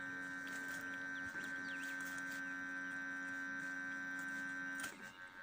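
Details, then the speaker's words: ZMZ 405 engine with ignition on, not running (engine stalls, hunts and backfires): steady mid-pitched electrical hum with higher whine that cuts out suddenly; owner says it is the ground; intermittent hum. "сейчас зажигание включено Да вот слышите гудит масса"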